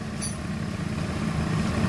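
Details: Carbureted Honda Beat scooter, white and red regulator wires tested live, battery still connected: steady even low putter, no stumbling or misfire; normal idle.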